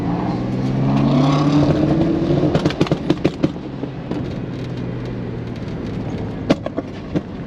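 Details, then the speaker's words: Chevy S10 4.3 Vortec on an autocross run: engine revs up, then sharp irregular pops and bangs as it falls off; ignition misfire from a failed, slipping distributor top plate, and the distributor was replaced. "where this thing actually put the nail in the coffin um and listen close cuz you're going to hear a whole lot of popping"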